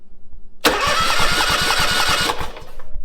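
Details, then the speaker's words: Ferris IS 3000 zero-turn mower after swap to a new engine, first crank with key: strong, even, steady cranking with no knocks or grinding; healthy turnover. "going to do is turn the engine over for about 20 seconds or so and then we're going to recheck the oil because we need to fill the oil filter and we need to fill the oil cooler as well"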